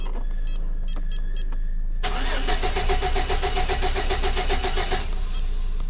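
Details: 2006 Chevy Silverado with distributor, ignition module, cap, plugs and wires all replaced: starter cranks about five even pulses a second for three seconds but never fires; crank no start with no spark, timing signal shows 5 V square wave.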